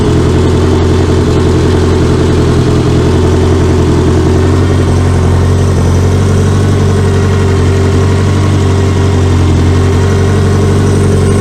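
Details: 1984 Honda Goldwing flat-four, first start after carburetor rebuild, no coolant and timing cover off; steady, even low burble at idle with no misses or knocks.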